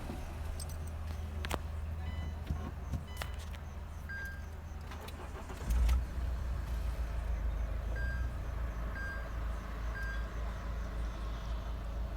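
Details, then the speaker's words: Mahindra XUV500 diesel after full engine overhaul (pistons, rings, bearings, head, valves, gasket), first start of break-in; key jingle, quick crank and catch into low steady idle with no knocks; no noise, normal start. "तो हमारी car start हो चुकी है, इसमें कोई noise नहीं है।"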